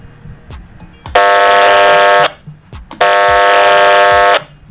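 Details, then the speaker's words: Radio rig transmitting on mid to high power (about 20 W) from an inadequate supply, display lights dimming: two loud buzzing hums about a second each on every key-up, audio distorted; transmit hum from insufficient supply current. "hai oh Bustam pudingnya redup banget ya dan audio yang keluar demung banget teman-teman ya"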